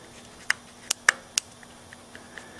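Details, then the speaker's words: Go-kart engine with points and condenser ignition, points jumped with a screwdriver: a few sharp, irregular snapping clicks as the plug sparks. The spark is fine, so the points are just dirty and need sanding. "Yeah, I can hear the snapping. So, definitely is just points. They're dirty."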